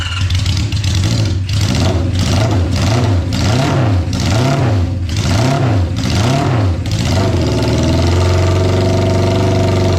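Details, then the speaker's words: 1972 Honda CB500 Four with four rebuilt carburetors, airbox off, just started: revs blipped in lumpy waves; exhaust temperatures show cylinder two dead, traced to a bad spark plug causing the misfire. "let's see if it sounds like all four cylinders are firing but no dead cylinder that one's really hot that one you could tell was hot before that one's totally dead and that one's hot so we got one dead cylinder"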